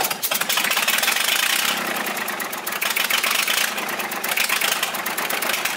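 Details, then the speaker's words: Volvo 320 tractor, Perkins indirect-injection diesel, first start after rebuild without glow plug: rough idle with sharp fast ticking chuff from gas blowing past an injector. "avem un injector care suflă pe lângă el să vedem dacă nu l dăm jos să etanșă cuir de"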